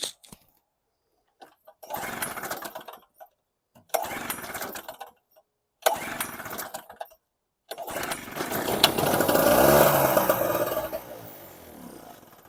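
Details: Storm Cat 700W Harbor Freight generator, 63cc two-stroke on 50:1 mix: fires and dies after about a second three times, then runs longer before fading out. Suspected fuel starvation, possibly the carb float.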